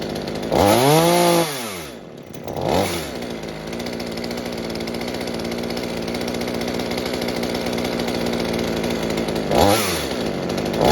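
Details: Mini two-stroke chainsaw saved from scrap, being fixed for a fuel leak, after carburetor adjustment (low side opened, too-rich high side turned down): blips up cleanly, settles to steady even idle, revs crisply again; normal running.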